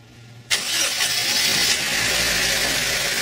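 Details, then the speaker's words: Car engine started after replacing a rattling water pump and the timing belt: catches quickly and settles into a steady, even idle with the rattling gone. "and there we go all the horrible rattling noise is gone got a new water pump and a new timing belt"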